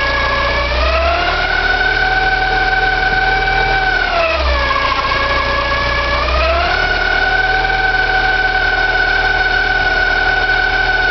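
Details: Porsche 944, 2.5 naturally aspirated 8-valve engine at idle: steady high squealing whine dipping and rising with revs, hard to locate but from the front; owner suspects oil pump or balance shaft, unconfirmed.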